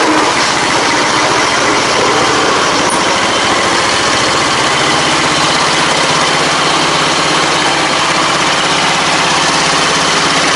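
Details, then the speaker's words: Riding mower after swap to a 22hp 670cc Briggs & Stratton V-twin with custom headers to Yamaha V Star dual exhaust: steady even V-twin beat, crisp exhaust note, no misses; normal running. "It's funny cuz when it's coming at you, it sounds like a lawn mower, but when you turn and get on it, it sounds exactly like that thing used to."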